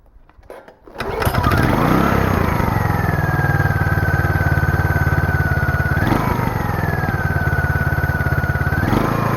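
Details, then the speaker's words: Small single-cylinder generator engine that sat for years, with mice inside, started with the choke springed on: it lopes unevenly, revs sag and recover, and it won't settle to idle; bogging blamed on the choke, possibly running rich. "the choke is springed to the on position so it's kind of bogging because of that"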